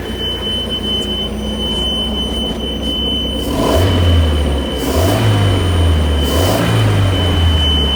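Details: Mariah SX-18 boat with a Mercruiser 3.0 engine: the pre-start warning buzzer keeps sounding steadily after the engine starts, while the engine revs briefly a few times and runs great; the cause is unknown.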